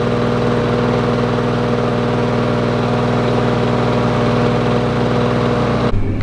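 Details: Lawn Boy two-stroke mower, previously running very rich with low revs, started during fine tuning: steady, even buzz at a constant fast idle with no hunting or misses until it cuts off; normal idle.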